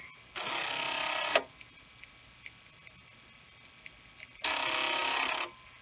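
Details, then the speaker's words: Commodore 1541 disk drive in an endless test loop stepping heads from track 1 to 35: two buzzy one-second bursts separated by quiet gaps as it reads and writes; the drive has stopped failing after repeated runs. "so it reads in it right and it reads and it writes back and forth so it is possible that giving this drive a workout is actually helping because now it is not failing"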